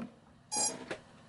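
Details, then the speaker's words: £100 freestyle drone build (Mamba stack, Samguk 2306 2500kv motors): with the Taranis transmitter switched off the failsafe triggers and the stopped motors beep, short bright electronic beeps signalling receiver signal loss. "the failsafe works and you can hear the motors beeping because the RX has been lost right so that is that covered"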